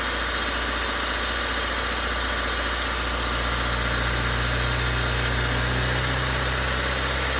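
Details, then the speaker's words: Honda Civic after track day with suspected knock, coolant line burst and dead radiator fan, recorded from inside the car; steady, even idle with smooth low hum and no tapping or knocking, bottom end sounds healthy. "sounds pretty good to me"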